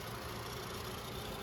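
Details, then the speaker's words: 2014 Nissan Sentra, 109k miles mostly highway, CVT: at idle a light tinny rattle from the top of the engine that stops when a hand is placed on the Nissan logo; the loose logo is buzzing. "Now you hear that little weird rattle coming from the top. Well, if you put your hand on the Nissan logo, it stops."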